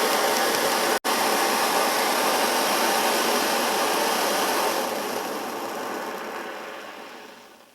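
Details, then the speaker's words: Svea 123 backpacking stove, warmed up with precise flame control: even steady burner roar easing off smoothly as it is turned down; healthy clean-running stove. "I mean, the flame control is beautiful. It's a great running little stove."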